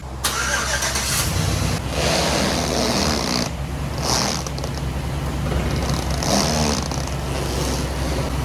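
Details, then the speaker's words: 2010 Chevrolet Silverado 1500 5.3L V8 after AFM lifter failure repair with AFM/DOD delete kit, idle coming down after startup: steady low rumble with no knocking, misfire, vacuum leak or ticking; normal smooth idle. "listen to the engine as the idle starts to come down i don't hear any knocking i don't hear any misfiring i don't hear any vacuum leaks there's no ticking noises nothing like that"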